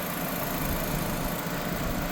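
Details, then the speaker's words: 2006 Nissan Sentra 1.8 L running about 10 minutes after a water pump replacement while burping the cooling system, hoses around 175–206°F, fans kicked on. Smooth, steady idle with an even low hum and no knocks, misses or hiss; healthy. "actually sounds like it's doing good. All right. Car's been running for 10 minutes."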